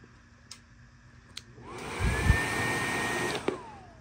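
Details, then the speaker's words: Panasonic microwave blower motor F401W6Z80AP, rewired with a 6 µF capacitor and run on the black wire (fastest speed): spins up quickly to a steady high whir, smooth with no rubbing or rattle, then coasts down; healthy at top speed. "I have the black wire hooked up here which is the fastest speed I'm gonna turn it on and you will see"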